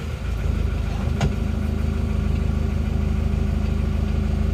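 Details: Auction diesel car unstarted for three years, restarted after priming the fuel pump: even idle with a smooth regular low beat around two per second, no misses or knocks; runs healthy, before warming up.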